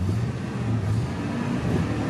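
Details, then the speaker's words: Truck at about 230,000 miles, warm after the drive, with good oil pressure, good temps and no engine lights: steady low idle rumble with none of the exhaust-manifold-leak ticking these motors usually have, and no knocking; healthy engine. "This one sounds good. Sounds You could really tell. good. You could tell this truck was loved and taken care of."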